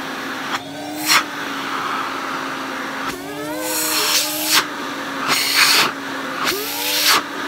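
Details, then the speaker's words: Electrolux 304 cylinder vacuum cleaner after cleanup; strong steady motor hum with airy rush shifting as nozzle opens and closes, much more suction than before. Normal vacuum motor run. "Wow. That has got so much more suction. I wish you could feel it. I'm not just saying that. It really does have a lot more suction to it. Oh, I love that sound."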